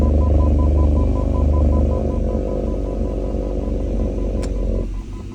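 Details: BMW E39 540 V8 idling in R or D: deep steady knock about four beats a second over heavy low rumble, with vibration at standstill.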